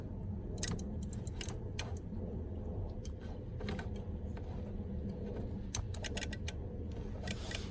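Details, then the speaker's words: 1991 Ford F-150 I6 with non-working wipers, brake lights and turn signals, key in accessory and wiper switch on: sharp, uneven relay clicks over a low hum from the wiper governor/interval module while the wipers never move. "it's the governor governor's clicking so we're gonna do is clicking this good that means something's working"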